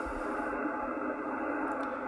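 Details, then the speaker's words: HF amateur radio receiver in a basement shack: a steady, dense rushing hiss drowns out the station, caused by the switching power supply for a laptop plugged in upstairs. "now i'll tell you what i did i ran upstairs yes upstairs ham shacks in the basement and plugged in the power supply that powers my laptop"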